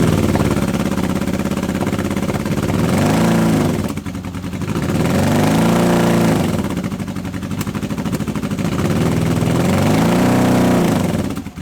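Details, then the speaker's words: Honda CB750 K series project bike, first start in years on unleaded petrol with choke and auxiliary tank: uneven lumpy beat as revs rise and fall, down on power; appears to run only on two cylinders on one side, cause not confirmed. "It seems to only be running on the 2 cylinders on this side, which is surprising because if 2 cylinders weren't running I'd have thought it'd be the coil."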